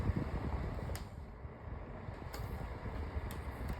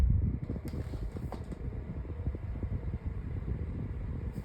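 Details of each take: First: 8-inch Sunbeam (Holmes) oscillating fan with front grill on, grill design acting as a shroud and making it louder: low steady airflow rumble with light irregular ticks and rattles every second or so. Fan rattle, less than the Blizzard model. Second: 8-inch Sunbeam (Holmes) oscillating fan with front grill removed: soft even whoosh and low hum with no ticking or rubbing, much quieter, airflow picking up slightly. Normal running.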